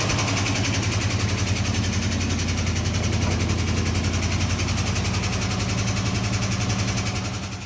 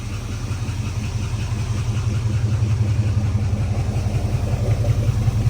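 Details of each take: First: 1970 Dodge Charger V8, 4-speed conversion, first startup after sitting, on an electric fuel pump and a jug of gas, carb untouched: steady idle with a light, quick tick from a sticky lifter, no misfires, runs good. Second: 1970 Dodge Charger V8, 4-speed conversion, after first startup and a drive: deep loping idle with no ticking, slightly rich, no misfires, lifter tap pretty much gone once oil pressure came up; runs good.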